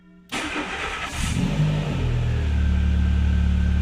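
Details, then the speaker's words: Renault Clio 2 1.6 16v 107hp with new exhaust manifold and intake, exhaust line not yet fitted, airbag light on from removed seatbelt buckles; quick crank, clean catch, brief rev rise, then steady even idle; starts and runs fine. "Voilà. Et le bruit c'est pas trop mal. Déjà rien qu'avec le collecteur comme ça, c'est vachement bien."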